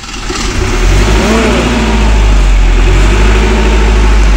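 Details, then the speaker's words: Intergen MWM 40 kVA diesel genset with 382 hours and a 13.7 V battery, started for warm-up on automatic: the starter catches quickly and it settles into a strong, steady low rumble with no knocking; it transfers power only once stable. Normal start and idle. "Dia ada jeda main, dia tidak langsung mengoper. Tapi sudah stabil dia baru ngoper listrik."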